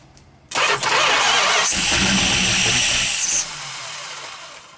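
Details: 440 big-block Mopar V8, first start attempt in 23 years: the starter spins hard for about three seconds with a hissy whir, but the engine never fires or catches.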